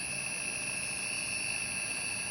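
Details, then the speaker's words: Motor driven by WEG CFW500 frequency inverter in multispeed mode, at top 55 Hz preset: quiet constant high whine with faint hum, steady pitch; normal characteristic inverter switching hum. "Provavelmente você percebeu aí ao fundo do vídeo o zumbido característico de partidas e por inversores de frequência"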